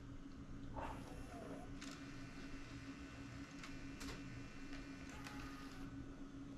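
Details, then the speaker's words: Sony Handycam DCR-TRV310 Digital8 camcorder at power-on test: faint motor whir and light mechanical clicks as the tape compartment initializes; startup sounds normal. "So okay, let's test power. You can hear the tape compartment initialize."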